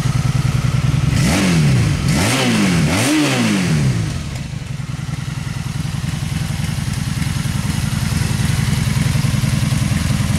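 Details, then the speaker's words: 2002 Honda Magna motorcycle, already warm, no choke, in neutral, after a carburetor rebuild, new fuel and fuel filter: three quick throttle blips rise and fall cleanly, then it settles to a steady, even idle. Runs well. "we go guys 2002 Honda Magna is running sounds pretty damn good"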